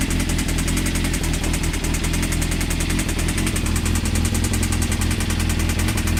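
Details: Honda CBR engine at a loud idle with fast, steady metallic knocking that keeps pace with the engine; possibly a worn rod bearing. Not confirmed; advised to stop running it and check the connecting rods for play on the crank.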